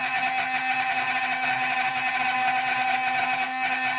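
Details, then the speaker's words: Steady high-pitched even squeal, no chatter, as the drill bit cuts cleanly through sea glass, started on the bench then finished in water; normal drilling. "And that squealing, that's actually cutting. It's cutting pretty good, so it shouldn't take too long."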